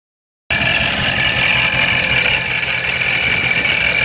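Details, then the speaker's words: Procharger-supercharged Scat Pack V8 after its tune was fixed: steady, even idle with a constant high supercharger whine, no knocks or misses; owner wonders whether earlier extra blower noise was from running cold. "I want to see if the supercharger sounds different I think when it was super noisy maybe it was cold"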